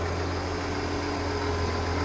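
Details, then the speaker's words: 1992 Ford F-150 after pushrod gasket and thermostat replacement, cold engine with thermostat not yet open; smooth steady low idle hum with no knocks, ticks or misses; truck runs and drives. "So, a couple more odds and ends to do on this thing, but it runs, it'll drive."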